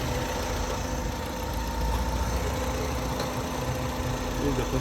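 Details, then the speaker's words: 2007 Kia Sportage 2.0L that cranked but wouldn't start, fuses and ECM main relay checked, new control board fitted; now starts and holds a steady, even idle with a faint top-end tick, no misses or hunting. "As you can see the car has started. As you can see the car has started."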